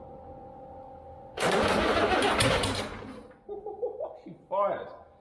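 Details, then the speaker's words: Cummins diesel fitted in a Land Rover Defender, first start after bleeding fuel at injectors (four of six tightened), batteries recharged: cranking gives way to a loud rough burst as it briefly fires, then fades. "she fired let me do that she's gonna go with she it's exciting a few fires I think it's gonna be loud"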